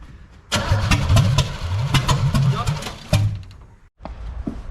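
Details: Start attempt on a recently acquired 1966 Corvette Stingray 327 after a timing tweak: the starter churns steadily at about four beats a second for nearly three seconds, never catching. Owner suspects plug wires off one distributor place, not confirmed.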